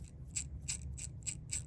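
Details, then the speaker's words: SCX24 Basecamp RC crawler just after a transmission swap with a new mounting plate, backlash set not too tight and not too loose: a light gear whir with crisp ticks about three times a second over a faint motor hum, normal noise for a new transmission. "Oh yeah, she's gonna make a little bit of noise. I tried to get the backlash, I don't know if you can see it in there."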